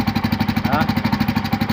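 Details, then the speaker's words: Bajaj auto-rickshaw on LPG with low pickup, silencer removed: fast steady single-cylinder thumping about twelve beats a second but only feeble exhaust puffs; silencer filter found fully blocked on one side, restricting exhaust. "ನಾಯ್ಸಲ್ಲೇ ಗೊತ್ತಾಗ್ಬಿಡುತ್ತೆ ಏನಾಗ್ತಾಯಿದೆ ಗಾಡಿ ಅಂತ. ಬರ್ತಾನೆ ಇಲ್ಲ ಗಾಳಿನೇ. Of ಮಾಡಪ್ಪ. ಎಲ್ಲೋ ಒಂದು ಸಣ್ಣದಾಗಿ ಬರ್ತಾಯಿದೆ ಗಾಳಿ. ಫಿಲ್ಟ್ರ್ ಬ್ಲಾಕ್ ಆಗಿರುತ್ತೆ."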